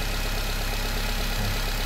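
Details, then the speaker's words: Nissan Livina after replacing a weak spark plug that caused misfiring (scanner showed no coil or injector fault): steady, smooth low idle with even beat and no stumbles or misses; now quiet, unlike the rough running before. "Pero yung under nyo po, tahimik na, hindi katulad kanina na makalya."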